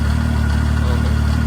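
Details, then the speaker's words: 2015 Arctic Cat 7000 Snow Pro snowmobile with Yamaha four-stroke engine, 12,053 km, warmed up to temperature: steady, even low idle with no knocks or hunting; four-stroke running smoothly, normal warm idle. "Like there we go. Like now it's up to temperature."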